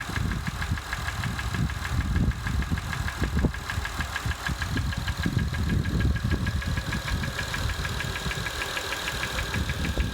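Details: 2005 Acura TL with 172,300 miles: an uneven idle with irregular dull knocks punching through the low rumble. An engine knock at idle; the cause is not identified.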